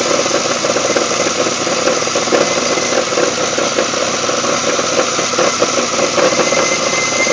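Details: GM 3800 V6 in a GTP at idle: harsh, tinny rattle riding over the engine, fairly constant and not changing with speed; source of the rattle unknown.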